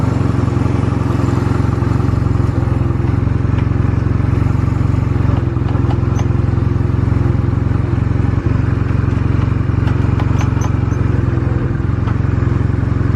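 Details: Stored Honda Rebel 250 Special (MC13) motorcycle at start-up check: a strong, even low engine beat held steady with no knocks or ticks; no abnormal engine noise. Normal running.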